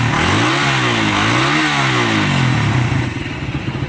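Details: Raider 150 motorcycle after replacing cam, guide and lining and setting valve clearance, fixing an intermittent noise: small revs settle to an even idle, quiet valvetrain, no intermittent ticking.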